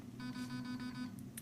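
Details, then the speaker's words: T238 optical MOSFET digital trigger unit installed in a gel blaster: a quick run of about six short, even electronic beeps as the unit enters programming mode and steps through its menu options. "Okay, you hear the beep? It's now in programming mode. You can hear it beeping. It's going to beep through a bunch of different beeps."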